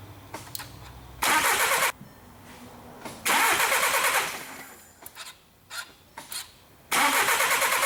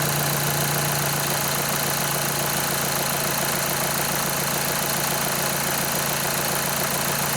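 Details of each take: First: 2011 VW Jetta 2.0 TDI, towed in with a no-start and low fuel pressure codes, with a gauge teed in after the supply pump; the starter spins in short bursts but the engine never catches. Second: 2011 VW Jetta 2.0 TDI, towed in as a no-start with low fuel pressure codes, starts after fuel pump activation basic setting; even diesel clatter at steady idle with no misses or hunting.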